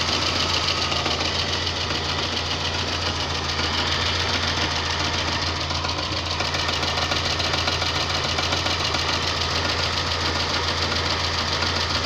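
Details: VAZ 2110 engine, warmed up at idle: sharp regular ticking knock, roughly three or four per second; cause unknown; engine knock when warm.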